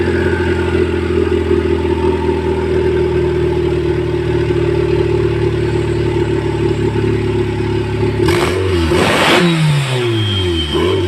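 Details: Stock EK Civic D16Y4 non-VTEC with eBay turbo kit, no injector, ECU or fuel pump upgrade, first start: steady high-pitched scream near redline then clattering bursts, engine revving uncontrolled.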